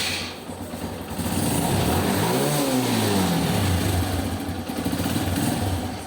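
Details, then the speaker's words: TVS Metro Plus bike before repair: engine revs and settles with light metallic metal-on-metal tapping, consistent with worn rocker pins in the valve train. "এই যে দেখুন আপনারা সাউন্ডটা কীভাবে করতেছে। মনে হয় যে লোহায় লোহায় একটা ডাং খাচ্ছে এই সাউন্ডটা।"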